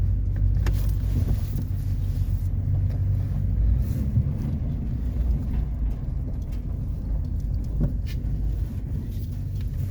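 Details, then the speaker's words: 1993 GMC Yukon SLE 350 throttle-body-injection V8 on a cold start after sitting about five to six months: it starts, then gives a deep, steady rumble with no knocks, misses or stumbles; normal cold idle. "this is my 1993 gmc yukon sle 350 throttle body injection oh it started awesome"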